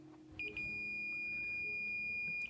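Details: Multimeter on continuity setting while testing a Ford 5.0 EFI harness: one clean steady high beep about two seconds as the leads touch; the continuity check works properly.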